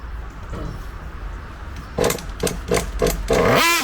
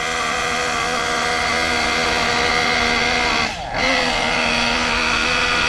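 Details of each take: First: Kyosho MP9 nitro buggy engine being tuned by ear and smoke trail; sharp buzzing blips rising and dropping cleanly without bogging or sputter, high-speed mixture set right before being leaned too far. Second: Kyosho MP9 nitro buggy engine during carb tuning: steady buzzing note that wavers and dips, sluggish and not picking up crisply because the mixture is too rich, not lean.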